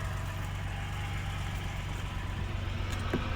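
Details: 1988 Suzuki Jimny, 550cc turbo intercooled three-cylinder, at idle. Even, steady idle with a low hum and a light tick that is said to be normal for Suzukis; no misses or knocks. Normal idle.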